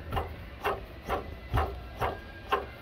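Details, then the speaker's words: Car making an airplane-like noise at morning start: water pump spun by hand gives rough dry rasping in bursts about twice a second, worn water pump bearing with play. "Então, bomba d'água, o rolamento com folga."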